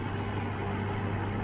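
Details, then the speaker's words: 1995 Mercedes S600 V12 Japanese import, dual AC, idle with computer connected: smooth, even low idle with steady fan whoosh as cooling fans kick in, no knocks or misses; pressures up, healthy idle. "so now as you can hear the fans kick in that's also great because then it tells you that pressures and everything come up that's excellent"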